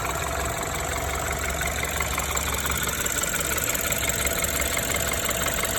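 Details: BMW N20B20 engine after engine damage, idling steadily with a light, uneven metallic rattle about twice a second over the engine hum; cause undetermined.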